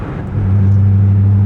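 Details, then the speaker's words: Car after installing AMT Vulcan motor mounts (C5/C6), cruising in sixth gear with quiet exhaust: steady deep humming cabin drone with vibration felt, judged kind of bad. "Oh, but the 6-gear drone, no. That's actually kind of bad."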